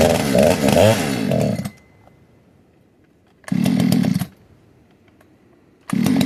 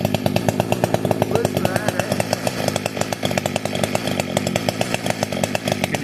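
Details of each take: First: Modded 60cc Echo 620 chainsaw, widened-venturi 620 carb, high jet only a turn and a quarter out, idle turned up: short revs then long full-throttle run with uneven burbling beat instead of a clean scream; four-stroking, rich high-speed mixture. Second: Fully built 60cc chainsaw, opened-up intake, tuned with ignition advance, started with no choke or high idle: crisp, even two-stroke burble at idle, steady pulses with no stumbling or surging; tuned right, normal idle.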